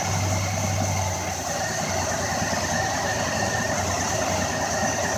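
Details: 2004 Ford Escape: steady, even idle with a smooth low hum and no ticking, misfire or rattle. Engine sounds healthy.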